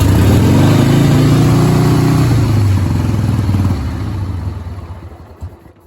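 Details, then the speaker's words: 1989 Harley-Davidson Sportster 883 after carb cleaning and float setting: lumpy, uneven V-twin beat that sags and fades, won't idle; owner suspects rear cylinder misfire, possibly old spark plugs or carburetion; high end rides fine. "i still won't idle [Music] so i think it's that rear cylinder i think it's just not um i can hear it firing"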